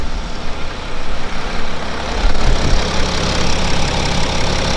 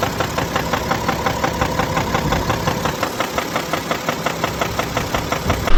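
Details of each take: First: BMW X5 F15 with replacement second-hand N57D30 313 HP diesel (original failed at 270,000 km from spun main and rod bearings), started almost cold: steady low idle, even clatter, no knock or misfire; runs smooth, only NOx sensor fault code. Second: BMW X5 F15 with N57D30 313 HP diesel at idle, in the owner's clip; sharp regular knocking several times a second, tied to engine speed, from the bottom of the engine; spun main bearings and connecting rod bearing found, i.e. rod bearing knock.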